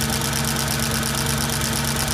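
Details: Audi S4 B6 at cold idle: a steady, rapid light knock rides over the engine's even hum; cause not evident, engine knocking at cold idle.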